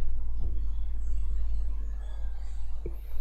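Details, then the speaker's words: Taffstudio LGT 240 budget condenser microphone with grille removed: steady low electrical hum, buzzing "zzzz" electrostatic noise worse near electronics like a camera, plus soft handling bumps. "Nah, ketika gril mikrofon kondensor dilepas, akan terdengar suara bising, semacam elektrostatik atau dengungan, seperti suara "zzzz". Terutama jika didekatkan dengan peralatan elektronik, seperti kamera misalnya."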